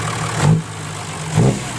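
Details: Diesel 6HH engine (210) with owner-reported lack of power, after injection pump tune: steady low idle rumble with an even beat and a couple of small swells, smooth and settled; normal diesel idle.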